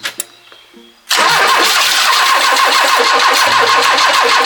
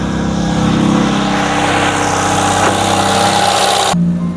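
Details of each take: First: 40-year-old Ford Fiesta XR2 off the road 25 years, new timing belt and fresh fuel: cranks and catches only with throttle mashed, loud ragged rev; hard starting traced to worn spark plugs. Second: 1980s Ford Fiesta XR2, about 40 years old and sitting 25 years, now running after a new timing belt, drained old fuel and new spark plugs: revs cleanly with a steady, even note and no misfire, then drops back; normal running.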